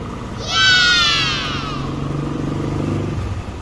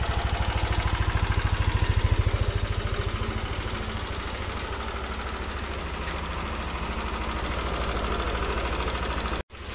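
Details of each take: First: Yamaha NMAX warm engine idling smoothly and quietly with traction control off after fixing its ticking, at 3-4 bar; no ticking remains, with a brief chirp in the background. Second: Yamaha NMAX scooter idling with a light regular ticking over the exhaust thump, not yet loud.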